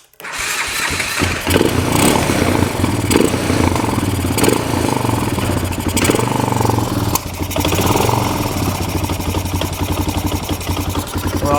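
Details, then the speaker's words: 1998 Honda Recon 250 ATV after a top-end rebuild (new piston, rings, valves, valve seals), on choke while warming: dull, uneven knock over the idle, worsening lately and worse under load; cause not yet found; engine knock at idle. "The motor is starting to sound worse when idling. It's gotten worse over the last little bit."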